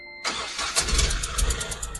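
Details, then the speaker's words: Ashok Leyland Bada Dost diesel, no warning lights, complaint of noise and no pickup: sharp fast ticking chuff over rough idle as if misfiring; injector washer leak suspected, washer to be replaced. "But ஆனால் injector noise மாதிரி வந்துட்டு இருக்கு, firing ஆகாத மாதிரி."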